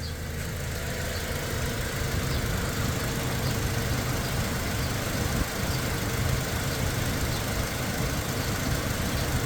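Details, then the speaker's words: Toyota Fortuner petrol engine, probably 2TR, with LPG, after repair of a stumble from a dead cylinder 2 (rodent-chewed wiring): idle on petrol now steady, smooth low hum, no stumble or misfire at the exhaust. "เบานิ่งเง็นกิ๊บครับไปฟังเสียงท่อไอเสียกันเนียนกริ๊บไม่มีสะดุดแล้วฮะ"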